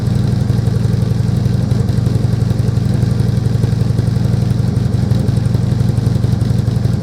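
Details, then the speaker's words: Harley-Davidson Glide V-twin idling with newly fitted slip-on exhaust pipes: steady, loud, deep loping beat around four per second; normal healthy idle. "I said earlier on as well, I'll crack this thing up with these new pipes on so you can have a listen."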